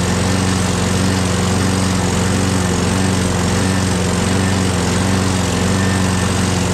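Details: Craftsman 6.5HP Briggs Quantum FWD mower after magneto replacement and carb clean, primed and electric-started: loud, steady engine beat at even speed, no stumbling or surging. Owner hears an unidentified clanking and must prime it every time.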